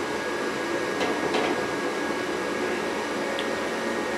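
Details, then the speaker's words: Rheem gas furnace at startup: smooth, steady inducer fan whoosh purging the heat exchanger, faint hum and light clicks as the hot surface igniter glows orange. Normal ignition sequence, no rattle or scrape. "there you'll hear little clicks when things go on you see the orange glow right there I know you can see if I stop moving the camera that is the hot surface igniter firing up"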